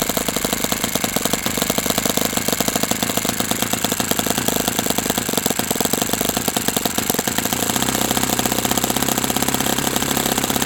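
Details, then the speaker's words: OS FS-60 open-rocker glow four-stroke, first run, on a test stand: rapid, slightly uneven popping that never settles to a slow idle; dies when the igniter is removed, which the owner reads as too rich; carb suspected. "What that something is could be either rich or lean. I would like to see this idle a lot slower than this."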